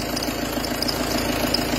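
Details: Peugeot Partner 2.0 HDi 90 diesel at idle: light uneven knocking and rough whirr from the belt drive; accessory belt tensioner pulley worn and running crooked relative to the pulleys.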